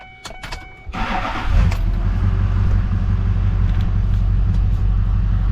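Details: 2007 GMC 6.6 Duramax diesel started right after an oil and filter change: brief crank, then catches quickly into a steady, even low clatter with no misses; oil pressure comes up to 60, healthy start.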